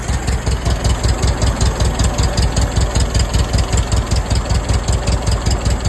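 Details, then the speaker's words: 1947 Case VAH loader tractor bought for $300. It shows 10 on charging and 15 lbs oil pressure, and the temperature gauge hasn't moved. Even, steady low chug, no misses or knocks; it runs okay. "Yeah, can't complain about that at all. Well, there you go, YouTube. $300 tractor and it runs."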